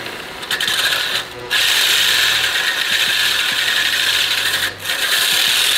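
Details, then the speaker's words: Residential reel mower, reel spun backwards by a drill with 120-grit Mower Mate lapping paste brushed on; even gritty hiss and rasp against the bedknife, smooth and consistent contact, normal backlapping. "So yeah, you paste it on while you've got this spinning backwards, so it's gonna be a bit fiddly. Yeah, just paste it across."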